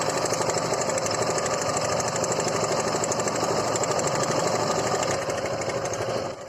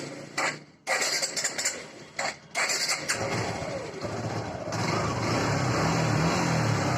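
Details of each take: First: Suzuki Gixer motorcycle, recorded close to the engine at idle: loud rapid metallic clatter with no low thump underneath; timing chain rattle, to be fixed by opening the timing chain tensioner. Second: Suzuki Gixer motorcycle engine after repair: a few stumbling start attempts, then a steady, even idle with no tapping or rattle; the earlier loud engine noise is gone after reassembly and timing tensioner refit, normal idle.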